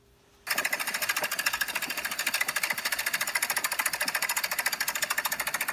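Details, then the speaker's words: 1999 Dodge Durango 5.9 360 V8 before top-end rebuild, running rough with little power: a fast, busy metallic valvetrain clatter at about three and a half beats a second, from a broken valve spring and bent pushrod. "yeah that's the uh Kim valve spring is broken inside there and the push rod yep they said I need a motor"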